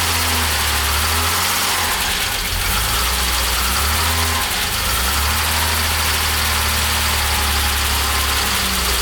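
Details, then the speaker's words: 1975 Jaguar XJ6 engine reassembled after the head came back from the machine shop: smooth, even idle with a steady low throb, no knock or tapping, about 40 psi oil pressure, much quieter than before; the earlier tappety noise came from a wrong tappet. "i think it's running really really nicely it's got about 40 pounds of oil pressure and it's a lot quieter than before"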